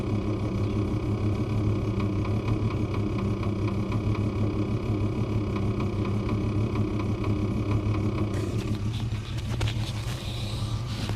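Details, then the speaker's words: Bus at idle: faint, fairly regular light tapping, about two per second, from under the bonnet; owner thinks it is not mechanical and not serious, source unclear. "yeah I don't know what that tap noise is but I don't think it's mechanical um I don't think it's literal I think there's just something under the Bonnet or something under there just tapping"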